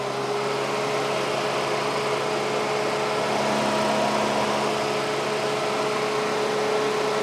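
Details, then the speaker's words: Chevy Tahoe after a clutch-fan-to-electric-fan conversion, wiring test on high speed before PCM ground triggers are tied in; steady rush of air with a faint hum and no rubbing or rattle. Both fans work as factory intended. Normal operation. "so all the wiring is pretty much done fans are working as the factory intended with the exception of the ground triggers"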